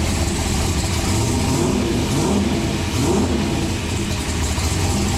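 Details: Turbocharged COPO Camaro V8, freshly built with a new intake, turbo and exhaust, refired: a deep lumpy rumble with strong low-end pulses and steady throttle blips, running clean and even; normal revving.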